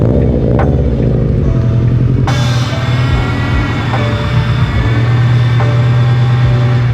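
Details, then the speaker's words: Honda Civic Type R at idle, after new spark plugs for a cylinder one misfire: loud, steady whine and groan from the power steering pump; fluid is not low. "I'm sure you guys heard the power steering on this car is making a very significant noise."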